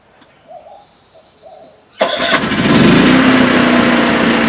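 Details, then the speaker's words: New Firman WH03242 4000 W dual-fuel inverter generator, warm engine started on push-button without choke: quiet, then it catches at once and settles into a steady, even run with no stumble. A normal healthy start and run. "fires right up"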